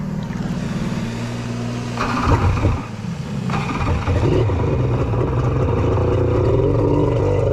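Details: 1100 triple two-stroke jet ski with custom cylinder head domes, spark plug just swapped: lumpy uneven drone, ragged beat picking up, missing on one cylinder; a rag left jammed in the PTO carburetor probably caused running on two.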